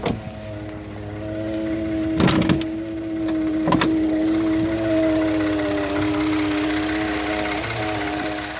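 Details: 2013 Ford F-150 EcoBoost idling in park with a steady droning vibration buzz and a few sharp knocks; dealer couldn't duplicate it; also vibrates between gears when shifting.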